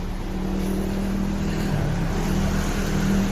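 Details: Nissan New G16 car whose idle was too low at 600 rpm and shaky from an oil leak, tested before full reassembly after repair: steady, even idle with low constant hum, no stumble, holding about 1000 rpm.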